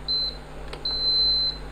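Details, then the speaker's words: Induction cooktop after the cover was refitted: two clean high beeps, one short and one longer, as it powers up normally. "तो चलिए चालू करते हैं हम इस इंडक्शन को। तो देखिए ये इंडक्शन चालू हो चुका है, यहाँ"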